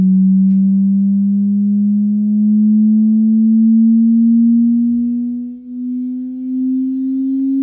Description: Same buzzing sound while attached via HDMI to an Insignia Roku TV.